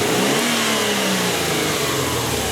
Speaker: do some snap throttle tests you can hear right away there's a hesitation to this